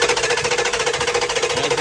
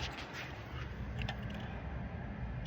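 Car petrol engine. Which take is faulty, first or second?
first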